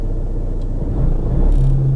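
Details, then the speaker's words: 2013 Vauxhall Insignia diesel, 120,000 miles, at idle: a heavy, uneven, tractor-like rumble with a droning low hum building underneath. "diesels are always you know a bit Rough and Ready anyway but this is like a tractor"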